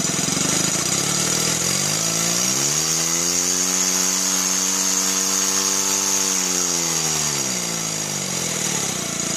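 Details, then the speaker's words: Stuart Sirius model steam engine, newly assembled, running unloaded at high speed: quick even chuffing that swells and eases back, with a steady high whistle coming from the exhaust, not a fault; runs well. "well that sound is not asleep it's the it's the exhaust whistling but it was good"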